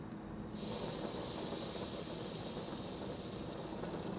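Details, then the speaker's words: 1957 Harley panhead drag bike under repair: a sudden, harsh, steady hiss of gas blowing out hard, meaning the regulator pressure is set too high. "If you can hear it hissing air out real hard, you got too much pressure."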